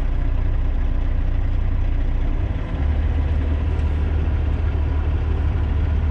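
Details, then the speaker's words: 2018 Volvo VNL760 diesel with idle raised from 600 to 700 rpm: a steady low rumble settling into an even, smoother beat as the vibration heard at lower idle goes away; healthy. "took me to 700 i really don't want to be that high but hell i ain't got to pay for the gas and the truck is running smoother so i'm gonna leave it there"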